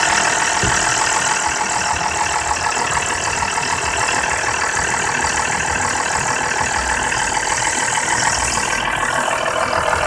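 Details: BMW F10 523i idling with a fast, busy metallic rattle from the VANOS area over steady running. The owner suspects it began after VANOS bolt replacement, which the dealer disputes; the dealer later fixed it without saying what it was.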